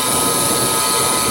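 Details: Aircraft starter motor run on the bench after rebuild/refresh: steady high-pitched electric whine with a rough gritty edge; noise attributed to corrosion inside the motor, gear still needing grease; cause not confirmed.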